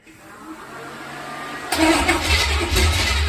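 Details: Small-block V8 with cranking oil pressure about 40 psi briefly catches with a loud, uneven lumpy rumble; the driver-side bank intake was not sealed, causing a massive vacuum leak.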